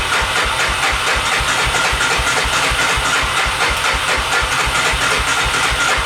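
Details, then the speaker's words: 1988 Honda FourTrax 300 4x4 ATV sitting for years, with choke on, fuel turned on and in tank: starter turns the single over steadily at about four chuffs a second but it never starts; spark to be checked. "Choke, a little flick of the gas. She don't want to start. I'm pretty sure there's fuel in it. There's fuel in it."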